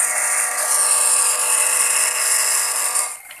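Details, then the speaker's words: SANYO PWH 135 water pump after servicing for rough noisy sound and weak suction (worn bearing suspected): smooth even high-pitched motor hum with water rushing, no grinding or rattle; seal not leaking, running smoother. "So the seal also does not leak Then the engine sound is also smoother"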